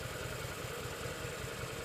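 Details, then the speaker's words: Drifter 800 cruiser motorcycle while riding: steady engine thump with a loud, constant airy hiss from the airbox area, traced to a small air leak in the carburetor just behind the airbox. "There's a really loud hissing noise coming from my airbox. I'm going to have to pull over and check that out. Oh dear. So as it turns out, there is a little tiny leak in the carburetor just behind the airbox."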